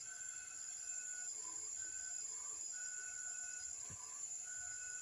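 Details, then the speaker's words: Engine cylinder pressurised for a leak-down test: a steady high-pitched hiss of air escaping into the intake, while the exhaust side shows only a slight leak; leaking intake valve, exhaust valve okay. "Okay, air is leaking into the intake. I feel in the cold air. Right, yeah, if you listen good. Right, it's not supposed to leak."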